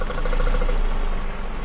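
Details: 2002 Ford Focus Zetec engine, rough idle: low, heavy, lumpy idle beat that doesn't change when cylinder one's plug is pulled; that cylinder isn't firing, a dead cylinder from a leaking exhaust valve.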